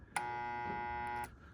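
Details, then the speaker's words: InSinkErator garbage disposal, torn down, with its starting circuit connected directly: a loud, steady electrical hum for about a second and no spin-up, though the plate spins freely by hand; owner suspects shorted or broken starting windings. "when I connect the power you're going to call me crazy but that's what I'm going to do I still get the hum it won't"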